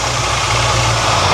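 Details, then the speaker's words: 1978 Ford F100 that sat in a field over a decade, at about 78°F, already run an hour earlier: a choke issue and a fast, steady high idle. Owner suspects a vacuum leak; the engine then dies. "we got a high idle. So, maybe vacuum leak."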